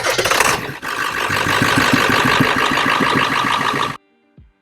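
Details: 7.3 L Power Stroke diesel with a low battery, started using a VTOMAN X7 jump starter in boost mode. Fast, even cranking at about four turns a second that builds strongly before catching: a healthy diesel start.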